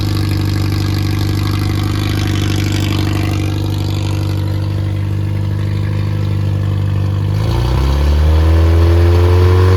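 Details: Freshly rebuilt Triumph Spitfire 1300 (1296cc) from a '72 Spitfire on test run, revving up: new pistons, bearings, 270 cam, shaved head ~8.5:1, compression 137-140, good oil pressure: smooth running, pitch climbs cleanly, no knocks or misses.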